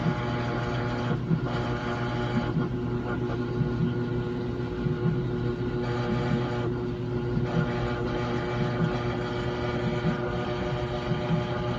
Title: Brand New Samsung washer making buzzing sound